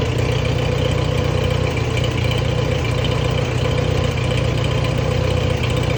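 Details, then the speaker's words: Allis-Chalmers WD tractor, choke out and throttle just adjusted, running after carburetor work: steady, even low chug with no knocks or stumbles, holding speed smoothly; idling as it should. "okay that's what's supposed to sound like so far running good"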